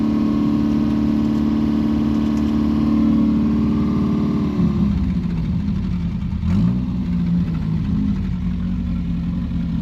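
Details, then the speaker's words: 1977 Daihatsu F10 with a 1990s 3K engine swap and a junk carb, first start and still wanting a little choke: uneven, lumpy running that sounds really bad, then slowly drops and settles into a steadier idle. Cause not confirmed. "Oh, it sounds like hot garbage. Oh. Oh. [Music] Oh, that's that's really bad."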